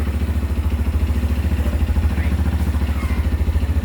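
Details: CFmoto Papio XO1 motorcycle, borrowed and still within its first-service mileage, at low idle with a regular clatter about three to four times a second; owner suspects the very tight drive chain is rubbing underneath, cause unconfirmed.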